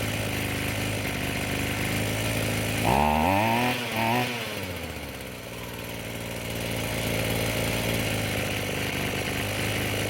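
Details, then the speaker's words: Roadside-found Echo SRM-210 2-stroke string trimmer after new purge (primer) bulb, fuel lines, fuel filter and air filter: fires, revs briefly, drops back, then holds a smooth even buzz; runs properly. "So what do you think? Not bad for a free unit."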